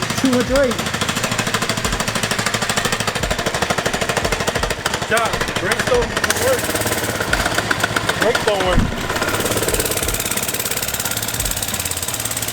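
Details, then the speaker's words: Baja Warrior 97cc mini bike with torque converter: rapid uneven popping that surges and sags without building revs; engine runs poorly, won't accelerate, then won't slow down once it does. "the thing is it doesn't run it doesn't accelerate but when it does it doesn't want to slow down"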